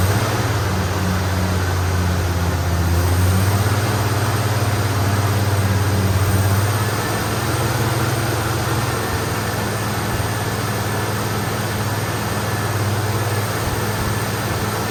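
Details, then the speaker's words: AMC Eagle with a new starter, fuel pump confirmed working: low engine drone that sags and steadies lower, running only while held on throttle; stalls otherwise, needing an idle air-fuel mixture adjustment. "Alright, so it's pumping fuel, it runs it on, if you hold it, it'll run. So that's an adjustment, it's an air-fuel mixture adjustment."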